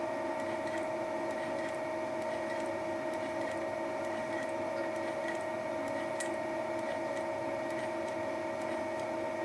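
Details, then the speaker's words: Final facing pass with Wohlhaupter UPA5 head on Thiel Duplex 158 mill, plastic lawn mower bearing housing; steady cutting hum with regular ticks about twice a second caused by the radial feed mechanism; face cleaned up nicely. Normal feed clicking. "this is the final pass (the clicking noise is caused by the radial feeding mechanism) it cleaned up the face quite nicely"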